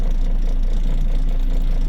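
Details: Isuzu Forward truck after fixing P0336 crankshaft position sensor fault, codes cleared: steady even low diesel idle with no misses, stumbles or surging; previously the needle fluctuated on acceleration, now healthy.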